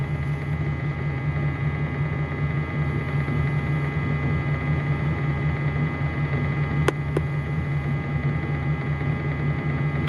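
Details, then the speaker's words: 2004 Dodge Ram 5.7L Hemi with a bank 1 misfire, idling: a steady low electrical hum from the cooling fan of the DRB III scan tool dominates; a normal scan-tool fan drone. "this thing is ridiculous there's just a giant scan tool that hum is the cooling fan on the side of it so please excuse the hum"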